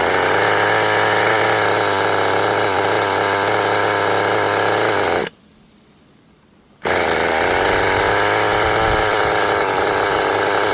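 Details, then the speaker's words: Restored 20-year-old HPI Nitro Rush Evo nitro buggy, new glow plug and fuel, first start with throttle trim raised, not yet warm: high buzzy two-stroke drone with soft burbly edge, then brief cut; running a bit rich, needs tuning. "Running a bit rich by the sound of things."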